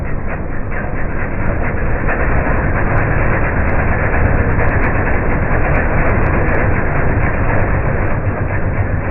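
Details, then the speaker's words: MTD 5 hp chipper/shredder, owner guesses 1990s-built, running after a carburetor kit replaced the bad carb: deep steady engine drone with rough chipping rumble as material feeds in, engine holding speed; normal running under load. "yeah it's definitely slow going but it's a workhorse not bad for 60 bucks total put into it a couple hours of labor to get it running"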